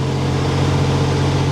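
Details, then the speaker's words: 1987 Buick Grand National turbo V6, idle fuel setting at 3. Smooth, even idle, later dying. Normal idle for now. "That's perfect. It's running perfect. It has never started and idled like this before, not ever."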